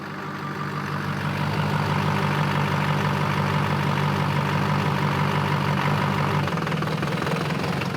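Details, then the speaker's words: 2004 GMC Sierra 3500 LLY Duramax V8 (codes P0202, P0207): cylinder 7 injector harness deliberately shaken to break contact, sending the truck into limp mode; rough, uneven knocking idle about three per second; injector circuit fault. "there we go I just tripped out that a circuit and the trucks in limp mode"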